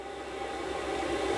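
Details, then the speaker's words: Off-grid diesel heater in a bus, running after a low-voltage starting issue was fixed: steady, even roar with faint constant hum, no surging, popping or stalling; 43° outside, 73° inside; normal running. "it's running right now I don't know if you can hear it uh that was a few weeks ago actually and we've been running it ever since we've had no issues with it"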